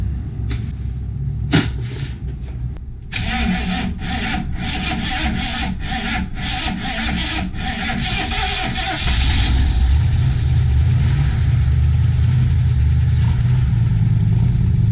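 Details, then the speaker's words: Van sitting for years, choke wired open, a little fuel poured down the throttle: several slow cranking bursts, then it catches and settles into a steady, even run without heavy smoke; starts and runs after long storage, engine not worn out. "hey and we don't have huge clouds of smoke all around the van now so i know it's not a totally worn out engine uh this is good news okay"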